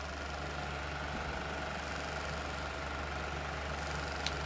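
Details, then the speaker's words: Lasko 16-inch wall fan model 3016 (2006-07), found dusty with locked bearings that were freed: a steady low buzzing drone with a fixed hum as the vibrating fan shakes its mounting and the bed frame; one blade is suspected out of balance. "just look at that it's it's also vibrating the bed frame that's unbearable right"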